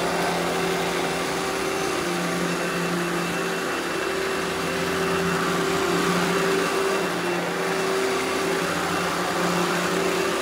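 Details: Eureka The Boss Smart Vac upright vacuum, model 4870 type GZ, bought secondhand, belt replaced; switched on for a demo: constant airflow roar over stable low motor tone, no pitch wobble or clatter; normal smooth running.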